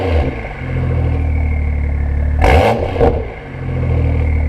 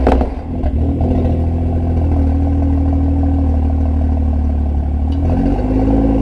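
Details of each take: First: BMW M2 LCI, IPE exhaust, cold, after removing washers to raise actuator spring tension: deep steady idle with short whoosh as valves cycle open and closed, no rattle; normal exhaust valve operation. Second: BMW M2 LCI (DCT) with iPE exhaust using the factory valve actuators, cold start: loose uneven clatter over the exhaust note while revving, worse with valves in one position; actuator solenoid/spring suspected.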